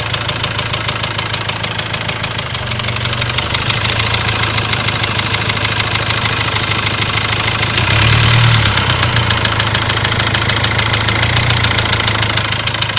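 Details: Ford Transit diesel idles with a steady tapping knock about 200 a minute, still there as revs rise; cylinder balance shows a leaking injector, high-pressure calibration fault; engine knock of unknown cause.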